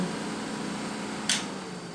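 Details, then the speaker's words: 5.7 HEMI setup powered through master switch with engine torn down: steady, even whoosh and hum of electric fan, constant tone, no rubbing or rattle; fan running normally, quiet electric water pump also running. "you have to listen close the water pump is real quiet let me let that fan die off"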